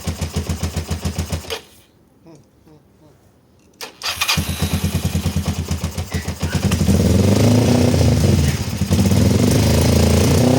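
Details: Kawasaki ER-5 twin, stored two to three years, carburetors just refitted with new fuel-inlet O-rings: cranks in uneven chugs, goes quiet, then catches and runs lumpy and unsteady; rough running, cause unconfirmed.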